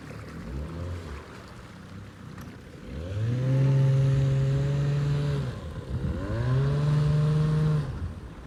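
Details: Abandoned jon boat's small two-stroke outboard, unknown if it ran after sitting since before winter, started in water: two clean rev-ups, pitch climbing and holding then easing off; pulls evenly and runs healthy, easier than expected.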